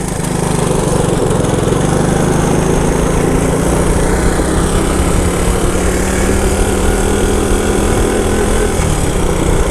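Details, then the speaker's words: 1977 Honda ATC 90 two-stroke three-wheeler, started after sitting for years, ridden through first, second and third gear: small engine buzzes steadily and evenly under load with a clean pitch, no smoke; fires right up and runs normally. "you know the nice thing about an old Honda three-wheeler if you let it sit for years fires right up runs like a champion"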